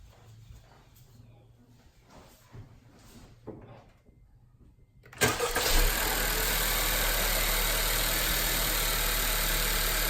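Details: 2018–2020 Honda Accord 1.5T just fitted with a PRL stage 1 air intake tube: quiet lead-in, then the engine fires and settles into an even, steady idle with a bit of intake hiss; runs healthy.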